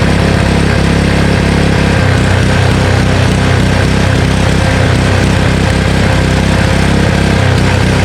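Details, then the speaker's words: Honda Harmony HS520 four-stroke single-stage snowblower after carburetor clean and governor spring and idle screw adjustment: loud, steady single-cylinder beat at even speed, no hunting or surging; governor settled, engine runs smoothly. "I was messing with the governor spring over here, as well as the idle screw, and after I let it run for quite a bit, it started to run really well without any surging, so it was really good."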